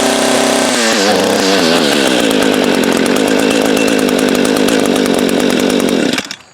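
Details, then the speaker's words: Echo GT200R string trimmer after installing a cheap aftermarket carburetor (it ran poorly before), cold start with primer: small two-stroke revs a few times, then holds a steady high buzz without sputtering; runs and idles well. "Wow, there it is. It works good, it idles good."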